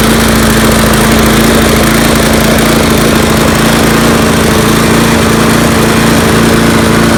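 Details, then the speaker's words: Troy-Bilt Tough Cut 210 mower (12A-566N063), Briggs & Stratton 6.75 primer engine, neglected, new air filter fitted: chugging with uneven, slightly hunting beat while cold; runs rough but improves once warm, cause unknown. "you see it runs a little weird after it warms up it seems to get better if anybody knows what that could be post a comment thanks"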